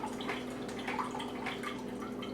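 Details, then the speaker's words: Keurig 2.0 brewer after a power blip: steady trickle and splash over a faint pump hum without stopping, pouring cold water until the tank empties; power-off stops it, unplugging 2 and 10 minutes failed to reset; continuous dispensing fault. "literally that'll go till the tank empties."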